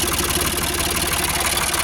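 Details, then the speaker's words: Ford 4600 tractor diesel after fitting a service-exchange injection pump, idling at about 700 rpm; even diesel clatter with regular beats, no labouring or misses. Normal idle. "It's ticking over at about 700 now, which I think is okay. It sounds alright. Doesn't sound like it's labouring or anything,"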